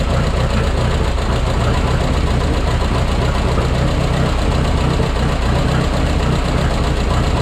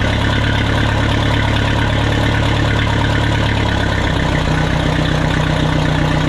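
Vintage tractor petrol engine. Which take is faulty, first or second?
first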